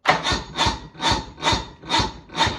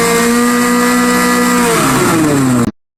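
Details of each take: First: Restored 1986 Bass Tracker boat: sluggish cranking at about two strokes a second that never catches, sometimes surging; the owner suspects the battery isn't giving enough voltage. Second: Restored 1986 Bass Tracker at wide open throttle, 32.6 mph: high, steady buzzing drone held flat out, then the pitch falls as the throttle comes off; it pulls cleanly at full throttle.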